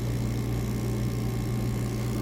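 A smooth, constant low hum with no knocks, surges or rattles; the vacuum pump is running evenly and sounds healthy.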